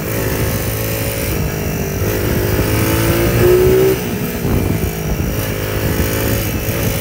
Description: Clear detonation sound that I thought was do to a loose connecting rod turned out to be from a mismade stator plate and or mismade flywheel resulting in an advanced electrical timing and a firing too soon the caused the detonation/ knock and ping sound